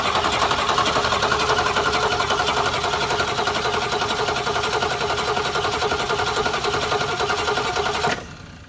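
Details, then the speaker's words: 1966 Mustang, 200 straight-six with a Holley 1-barrel carb, just reinstalled after a repair attempt. It cranks steadily for eight seconds without firing. The owner thinks the needle-and-seat valve is stuck, starving it of fuel. "I still think it's just a stuck valve, which means we're going to have to get a new valve, but at least see if we can get it running."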